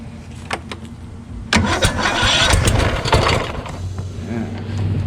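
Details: Craftsman YS4500 lawn tractor repowered with Kohler Courage single, starter shimmed out under half a millimeter, about 36°F: starter whirs and grinds briefly, engine catches and runs unevenly; Bendix drive hanging up again.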